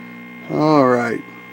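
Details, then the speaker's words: Zenith N23270-6 tube B&W portable TV on a Sencore DC62 signal generator, tubes warmed: harsh raspy buzz swelling briefly over a low steady hum from the speaker; detector buzz, reducible via the rear buzz control. "in here in there that there is buzz now i've been told that these detectors in this this will not able to be totally eliminated"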